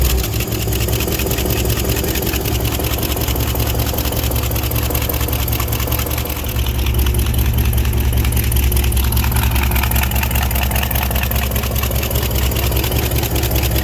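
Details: 1967 International 1200 pickup revived after 20 years sitting, after fixing an accelerator pump leak: rough, lumpy idle with a fast light tick about two to three a second over the low rumble; lifter ticking suspected.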